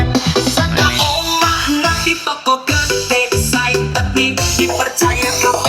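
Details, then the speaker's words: Monster 210 active speaker playing music over Bluetooth after repair: full, clean sound at a steady level with crisp highs and solid bass, no crackle or distortion. The output is healthy. "Nah ini sudah oke teman-teman ya, ini suaranya sudah mantap ini."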